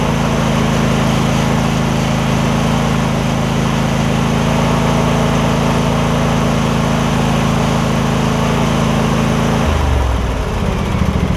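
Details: Husqvarna rider, 24hp Briggs V-twin, about 190 hours, after refitting fallen-off right-cylinder exhaust pushrod: even unbroken drone holding steady then changing speed near end; runs sound on both cylinders.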